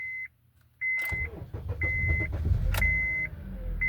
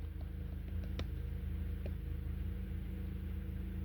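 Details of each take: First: 2012 Honda Accord 2.4L with cylinder 2 and 3 misfires (P0302, P0303), first start after crank pattern relearn: a chime, then a short crank with a slight hesitation before it catches and runs evenly. This is a normal start. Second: 2012 Honda Accord 2.4L, warm engine, codes P0302 and P0303 with the check engine light sometimes flashing: an uneven, low thumping idle with a regular stumble every few beats. Fixed by crank pattern (CKP) clear and relearn.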